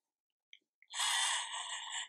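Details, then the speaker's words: Nuki smart lock (first version): thin high whir for about a second with no clutch engagement, the motor spinning freely because the knob-engaging motor has failed; fix is motor replacement. "the motor is motor is turning directly that's wrong normally it's like this"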